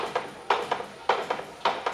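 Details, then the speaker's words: Tesla Model 3 running without a body, for a Land Rover Tesla-integration project, in reverse with some throttle. Sharp paired clacks repeat about every 0.6 s with no engine sound: the ABS modulator valves and pump cycling, anti-lock braking activating, system unhappy. "you can hear the anti-lock breaking coming on so yeah it's not that happy about that at the moment"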